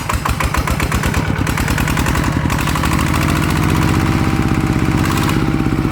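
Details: Single-cylinder ET diesel (ET95/ET110 pair) test-run after refit for water pumping: crisp even thump at a steady beat, settling into a regular run without missing or knocking; runs well, though non-DI engines pull less at low rpm.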